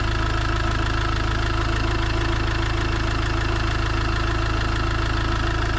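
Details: Iveco Daily diesel van (being converted to a motorhome) idling around its engine oil, oil filter and diesel filter change: steady, even clatter at about 200 beats a minute, no knocks or misses; healthy engine.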